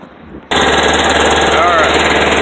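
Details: Kawasaki Mule that wouldn't start, after its rusty gas tank was flushed and the carburetor refitted: it catches at half a second and settles into a steady, even fast idle without stumbling. It runs fine.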